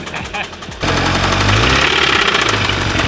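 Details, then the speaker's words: VW 2.0 TSI engine from a car run low on oil: hard metallic knocking, roughly four per second, over the idle and tracking engine speed; rod knock. "we're about to show you a 2.0 tsi engine that came out of a car that was run on oil and it sounded like this"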